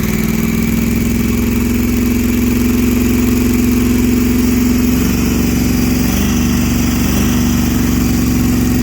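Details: 1968 Plymouth Barracuda with supercharged big-block on first start, temperature around 170; loud, lumpy running with an uneven beat wandering in pitch as blown head gaskets misfire, headers glowing red.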